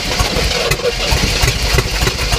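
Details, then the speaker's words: 1967 Oldsmobile Toronado with new plugs and wires, running on fuel poured down the carb with throttle held open; ragged, uneven low thumping as the engine fires briefly and struggles, smoke from the muffler, then stalls. "yeah right okay i can smell it in the back of the bubble where it's smoking out of the muffler right now well that better be all right that's all right she'll blow out eventually keep her cranked"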